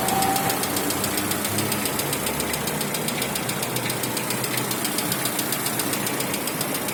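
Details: 2016 Lada Vesta 1.6 at cold idle: steady light ticking knock, about three to four per second, that disappears after warm-up; owner found Zic X9 5W40 oil reduced it, lifter noise became rarer and piston slap remained.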